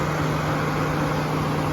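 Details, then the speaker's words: 2015 GMC Sierra 1500 4x4 with the 5.3 L V8: the radiator fan keeps running after the engine is shut off, giving a constant low hum and rush of air with no engine firing. It was traced to a faulty thermostat and temperature sensor, which were replaced to fix it. "The fan is continuing to run with the engine off."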